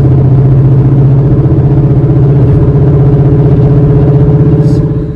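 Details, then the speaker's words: 2008 Audi A4 Quattro S-Line while driving: deep rhythmic knocking about four beats a second tied to wheel speed; worn front wheel bearing, later replaced. "was when you're driving um there's gonna be this like knocking noise"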